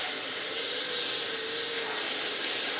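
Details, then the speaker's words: Numatic PPR370 commercial vacuum (2022), after the blocked hose was cleared by standing on it: strong, steady airy rush with a faint whistle, no choking or surging; airflow now 18-19 mph, full suction restored. "But nevertheless, I think we just fixed it by me standing on the hose. That's excellent news."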